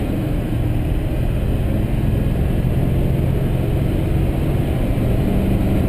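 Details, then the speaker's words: 2005 GMC Sierra 2500HD Duramax diesel on an interstate run, heard from inside the cab. New Corsa front pipe, Jamo 4-inch stainless catback and FTE diesel resonator muffler give a deep, steady, aggressive exhaust note with little drone and no rattles or leaks. "not bad see it's giving it a nice aggressive tone I ended up uh using the Corsa front pipe the jamo 4in catback piping as well as the FTE diesel resonator muffler"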